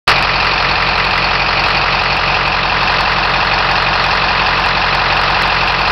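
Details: Direct-injection engine after 30k: a steady loud hiss with faint uneven puffing over a muffled idle, suspected heavy crankcase blowby.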